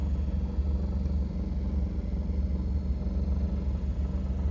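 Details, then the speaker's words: 1977 Cadillac Eldorado HVAC blower motor: low, uneven droning hum with a slow wobbling throb over the fan noise, wobbly but not grinding, and not the higher-pitched sound of an AC compressor; worn blower motor, which was replaced. "As you guys could hear, that wobbly, kind of wonky sound, it's a sign that something is off."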